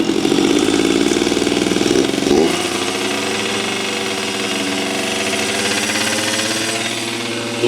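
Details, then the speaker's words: Yamaha YSR50 two-stroke mini bike, before rebuild: screams at high, buzzy revs with no settling to idle. The owner believes an air leak causes the high-revving problem; crank seals and engine resealing followed. "as you remember last time we finally got this bike running after doing many many things with the clutch and everything motorwise and it had a super high revving problem and I believe it was from an air leaks"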